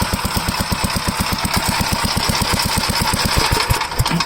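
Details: Gravely L8 single-cylinder with rebuilt bottom end and overbore piston, started on choke with throttle: quick, steady thumping of about eight beats a second with no knocks or rattles; runs smoothly and healthy.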